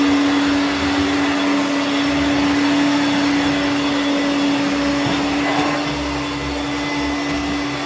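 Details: Hoover Turbomaster U5094 upright vacuum after refurbishment, brush roll off: smooth, steady motor whine at one even pitch, no rumble, grinding or rattle. Both motor bearings had been seized, the fancase one spinning on the armature shaft; now healthy.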